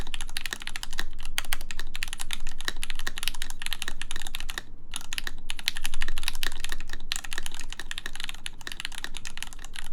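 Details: Full-size 4398 keyboard with aluminum plate, lubed Gateron X switches and MW Retro Lights keycaps, typed with an ABS spacebar: quick soft clacky keystrokes with no rattle or ping, looser than before; normal typing sound.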